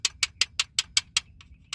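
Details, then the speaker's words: 2008 Ford F-150 4.6 V8, 170k miles, warm: sharp, dry ticks about five a second over idle, rattling with rpm; quiet when cold; collapsed timing chain tensioner, replaced but the noise remains. "and then when the engine gets faster it will just rattle there's that it's a 4.6 v8"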